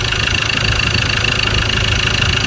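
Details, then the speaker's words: Ford Ranger T6 2.2 diesel, 300,000 km, weak acceleration, bonnet open before overhaul: loud steady idle with a strong breathy hiss as oil vapour and smoke blow from the crankcase breather; worn engine blow-by. "อ่ะครับผมกับอาการเร่งรถไม่ขึ้นนะครับลูกค้าแจ้งว่ามีไอน้ำมันระบายออกมาจากตรงนี้ด้วยนะครับ"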